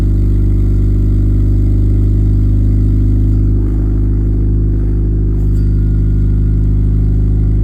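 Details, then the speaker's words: 1989 Honda Civic EF sedan on its first drive after the new exhaust was bolted in with gaskets and hangers; low, smooth note, no rasp, blowing or drone; quiet, sealed exhaust after repair. "We're gonna go get some coffee and see what this exhaust sounds like. It's really not that loud."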